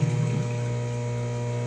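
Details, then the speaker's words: Scotsman ice machine not making ice, entering its harvest cycle with the water level at 40. Steady low pump hum with a faint watery wash, no grinding or squeal; draining then refilling normally. "you can tell it just drains some out so it should be starting to fill up you hear the Harvest cycle trying to happen"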